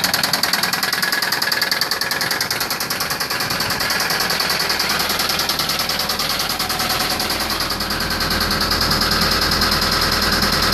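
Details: Nissan 240SX KA24DE at idle: fast, fairly even tick about three per second riding over the idle; engine ticking noise of unknown source.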